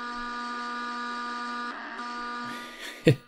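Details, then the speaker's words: Sony ICF-19 radio on AM: a steady coarse electrical buzz under the hiss, then tuning clicks; likely interference from the nearby pulse-charging EBL 908 battery charger, while FM receives fine. "My first radio I tested, this is cool, is my Sony ICF-19. Yeah, this is a great radio. Let's turn it on. Yeah, there's the buzzing."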